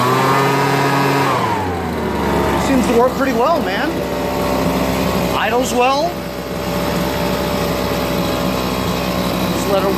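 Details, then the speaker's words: Homelite BP250 backpack leaf blower two-stroke after draining old gas, fresh 2-cycle mix and fuel mixture screw adjustment: steady buzz sweeping up cleanly with each throttle blip and settling back; normal running and revving. "so it's a home light BP 250 starts right up you know and all it needed was new gas that's all it needed and a fuel mixture adjustment on the screws"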